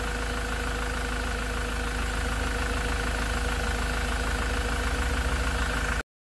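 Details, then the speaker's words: Land Rover Defender Puma 2.4 TDCi diesel after engine rebuild, new wiring loom and oil pump, idling warm after 45 minutes with thermostat open: smooth, quiet, even low thrum with no tappet ticking now that tappets are full of oil; normal warm idle. "You can hear the difference now in the tone of the engine. No ticking noises, because all those tappets are full of oil. It actually sounds really, really quiet."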